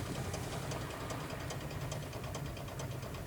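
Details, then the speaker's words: VAZ 2109 interior recording while driving slowly: sharp ticks about every third of a second over low rolling rumble, knock from the right rear wheel, apparently related to a wheel bolt; cause not confirmed. "Что это за звук? Так вот, сразу скажу. Это звук заднего колеса. Заднего правого колеса."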